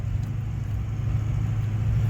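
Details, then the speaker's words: 2004 Ford Super Duty test drive after replacing worn lower shock bushings with Grade 8 bolts, stainless sleeves, Energy Suspension bushings and grease fittings: a steady low cab drone, with the floorboard clunk over bumps completely gone. "this thing drives so much more quieter I mean that floorboard clunk is completely gone now"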